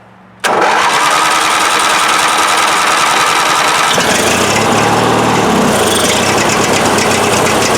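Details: Craftsman riding tractor that only clicked and wouldn't start, after starter solenoid tested and replaced: engine catches immediately and keeps an even steady beat with no misses; healthy start and run.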